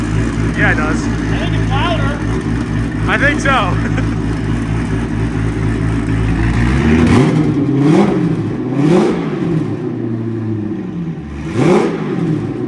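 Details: 2000HP twin-turbo Lamborghini with Comp Turbo turbos, before heat cycling, bearings possibly tight: clean revs rising and falling with throttle, deep even exhaust note, no rattles or grinding; sounds good.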